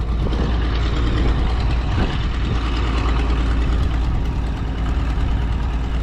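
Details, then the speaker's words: Minneapolis Moline A4T tractor on a shake-down drive: steady low idle with a quick puffing tick on one side from an exhaust manifold leak. "You can hear that exhaust manifold leak on this side, kind of ticking away."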